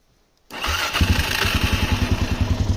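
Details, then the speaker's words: Suzuki LTZ400 quad with Chinese replacement carburetor, fuel screw half turn out and idle lowered: starts after brief crank, steady even single-cylinder thump at low idle, no longer bogging and dying from lean mixture. "and she's idling really well before when she was on the lower end of the RPMs like this it would just bog out and die now it's able to hold on the lower RPMs cuz the fuel ratio is correct it's not running as lean"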